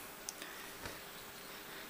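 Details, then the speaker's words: Canon Legria HF R106 camcorder's autofocus motor makes faint, irregular ticking over a quiet hiss, picked up by the built-in microphone located right under the lens while focusing; noise stops once autofocus is switched from automatic to manual in the menu. "o when it's focusing on something it will make this thicking sound so it's very easy to get rid of"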